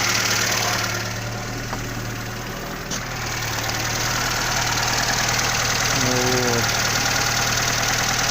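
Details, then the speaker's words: Warm idle of a Zhiguli (Lada) engine with a new water pump fitted on sealant without a gasket, steady and even with only slight vibration, no clicks or knocks; sounds like a normal healthy engine. Knock was later traced to the alternator's lower mount. "Также потихоньку трясется, но щелчков, стуков нету. Работает как обыкновенный жигулевский двигатель."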